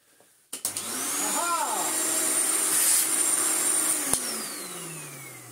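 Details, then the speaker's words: Vintage Miele S228i vacuum after cord rewind replacement and new plug fitted: motor spins up to a steady high whine with even rush of air, no rattles; running healthy. "check it doesn't vacuuming oh yeah very nice indeed"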